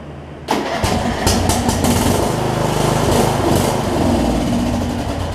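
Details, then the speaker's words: John Deere 125 rider with a 14.5hp MTD single-cylinder swapped in for a blown 20hp Briggs V-twin, cranked on charging cables. It catches, fires unevenly, sags and won't keep running. The carb is suspected of not getting enough fuel past the needle and seat. "I think what's happening is I think that carb is doing I don't think it's getting enough fuel passed the needle and seat in order for it to run right"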